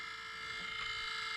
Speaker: You can hear it's making kind of like a buzzing, rattling sound, and it's been doing that for a while, so it definitely needs replaced.